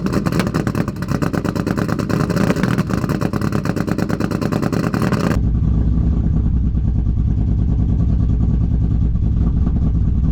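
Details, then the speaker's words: Modified cammed Chevrolet Silverado V8 cold start after solving spark issue: loud, lumpy, uneven idle now firing on all eight but running rough; owner suspects bad gas and timing off from the tune. "she's finally running on all eight now granted that sounded terrible um i don't know how it sounds on camera yet but in person you could definitely tell that there is some bad gas and the timing is definitely off"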